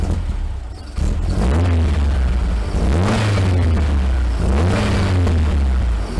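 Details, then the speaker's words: 1956 VW Beetle air-cooled flat-four, sat a while, new distributor when engine built: fires and revs cleanly, then sags hard toward idle nearly shutting down; won't idle or run at partial throttle; owner suspects worn distributor. "all right so as you heard fires right up revs up nice pretty much completely shuts down"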